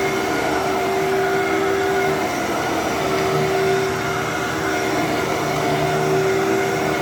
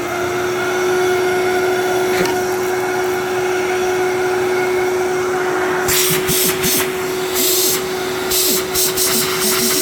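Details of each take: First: Wow. Okay. For some reason, I thought that was going to sound way worse than it did than it than it does. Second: Older 12 amp Fantom Thunder vacuum: steady motor hum broken by bursts of irregular clattering and rattling, suspected something caught in the brush roll, unconfirmed — intermittent rattling noise.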